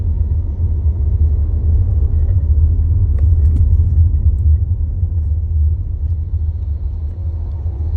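A deep steady drone and low rumble, nothing sharp on top; a vibration noise at idle whose cause isn't yet pinned down.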